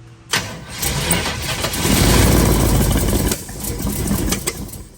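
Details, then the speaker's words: 1932 Ford Model B highboy roadster, built 383 roller V8 (525 hp), first start on new EMPI HPMX Gen 4 IDF 8-stack carbs and Pierce intake; cranks, catches, runs lumpy and fades. Ignition timing still off, needs moving one spot. "ahead it's not happy at all go ahead go ahead go ahead timing is definitely still off so we're going to have to adjust the time it again"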